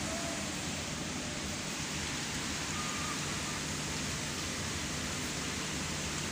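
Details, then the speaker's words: CKJ echo kit, with the power amp at full volume into a 15-inch speaker after the hum fix: a steady even hiss with no hum or drone underneath, and a clean output. "Jadi ini posisi power saya mentok ya nih saya outputnya disini saya ambil waktunya di sini langsung menuju power sini teman-teman dan bersih sekali tanpa now empat sebagai terdekat Kan speakernya Hai tidak terdengar sama sekali ya tanpa noise tanpa dengung"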